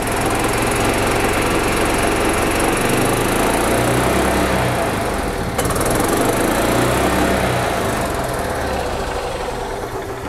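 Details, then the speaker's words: 1999 Club Car DS gas golf cart after carburetor cleaning cured a crank-no-start: small single-cylinder engine screams flat out with a fast, choppy stutter, throttle barely pressed; governor cranked to max, engine hitting the rev limiter. "Okay, so this governor is cranked to the max on this cart. I was hired to get the cart running. That's what I did. I'm gonna tell the customer that I noticed the governor is, the engine's hitting the rev limiter."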